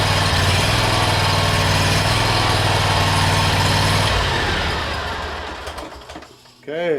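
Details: 1996 Cub Cadet, small single-cylinder engine, after starter removal and repair (starter previously spun without cranking the flywheel); starts, runs steady and even for a few seconds, then shuts down.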